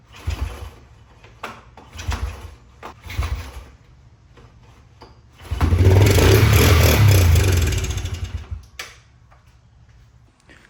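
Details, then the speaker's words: 1998 Honda TRX 90 ATV that sat about 3 years, after a no-spark fix, cranked with starter fluid before the carb is cleaned. A few thumps, then it runs roughly about three seconds and dies. It has compression and spark but still needs its carb cleaned and fuel tank refitted. "all right so it did pop over so we know that um it has compression and we've got our spark so all we need now is to clean our carb"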